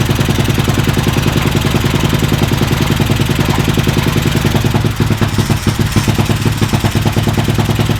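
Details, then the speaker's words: Homemade drift trike, small carbureted engine, just after finishing the build: putters at a quick, fairly even beat with a slight waver in the second half; runs fine overall, though the carb still needs some tinkering. "I need to tinker with the carb a little bit, but that sound, I'm happy."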